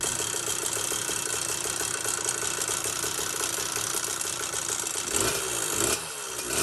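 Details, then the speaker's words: Phantom 85cc two-stroke motorized bicycle engine: buzzing run with fast, light metallic rattle on each firing; stock piston pin bushing coating disintegrating, fixed with replacement aluminum-bronze 12mm bushing. "luckily I heard a rattle noise coming from the engine as a matter of fact if you hear this clip right now you can definitely hear it"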